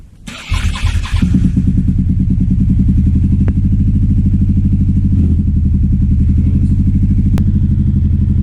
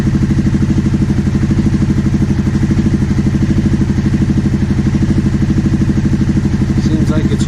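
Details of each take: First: 2009 Aprilia Shiver SL750 V-twin idle hunting: after about a minute running, the lumpy idle jumps up and down with no error messages; apparently fixed by replacing both air pressure sensors in the filter airbox. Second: 2009 Aprilia Shiver SL750 twin, after replacing both air pressure sensors in the airbox to cure idle jumping up and down: steady, even idle with firm regular pulse, no stumbling or hunting; evap and tank air hose ruled out.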